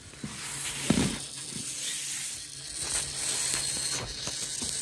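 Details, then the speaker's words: Haier dishwasher (rebranded GE) after pressure switch sensor replacement for H20 not-filling error, on a light cycle: soft steady hiss of water rushing in under faint hum with light clicks; the inlet water valve is filling normally. "I can feel already the water going in. That noise is actually the water valve."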